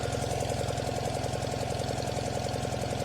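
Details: Tractor idling with a heavy, lumpy thump as if a cylinder or two isn't firing fully; temp gun at the exhaust reads front and rear cylinders about 380, middle two about 280; owner suspects the middle two are weak, not confirmed.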